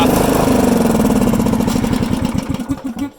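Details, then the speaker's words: MTD Lawnflite RS.15 ride-on mower, Briggs & Stratton single-cylinder: uneven beat then firing spreads out and dies, really struggling; owner suspects a stuck carburetor shut-off solenoid valve. Cause not confirmed. "oh if I crank it now I don't think it'll run it's really struggling"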